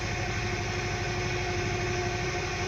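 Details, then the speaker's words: Hyundai Accent petrol engine idling fast and uneven, jerking and shaking the whole car with a blinking check engine light; a misfire from failing ignition coils. "tapos yung RPM niya mataas Ayan taas taas RPM niya So ngayon ah nagger King siya jer [Musika] King Ayun bumababa na siya Tapos malakas yung jer King so nanginginig yung buong sasakyan"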